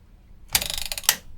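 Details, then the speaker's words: Musicson P-802 1600W amplifier powered through a 144 W bulb limiter: quick burst of dry mechanical rattling as the relay chatters while the capacitors struggle to charge. "same sort of thing, but it's a different pace. I'm sure that's the relay ratling I can hear in there."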